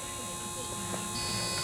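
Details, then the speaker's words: 16 kW Chinese diesel water heater (engine block preheater) heating an off-grid cabin, thermostat raised to start it: quiet, steady electric buzz with even hum and no grinding; water circulation pump running normally. "so that should now engage this in a second so we're going to wait well I'll start there we go that's the water pump"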